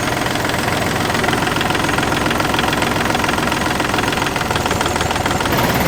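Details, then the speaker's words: Marine inboard diesel on a boat, mounted on a fabricated metal structure with no rubber where the original engine feet belong: uneven, shaky knock at idle, about 3–4 beats/s. Rough idle and heavy vibration; mounting suspected, not confirmed. "ngine is not sitting on original engine feet so they have built a metal structure here that might sort of be one of the reasons why the engine is moving the way it's moving"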